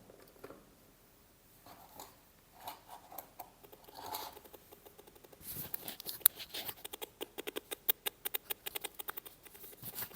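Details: Mini amplifier speaker box for laptops/computers, no audio before repair: only a run of sharp, irregular clicks from the speaker; dried, bulged power-supply capacitor starving the amp.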